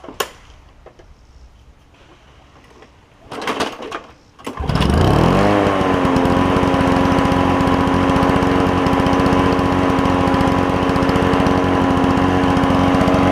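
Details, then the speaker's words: Toro push mower with a two-stroke Suzuki engine after the carburetor was cleaned: it cranks, catches and settles into a smooth, even high-pitched buzz with a steady firing beat, then idles down fine. This is normal running. "let me get it out and we'll Crank It Up So the truck can hear this thing run it sounds pretty cool"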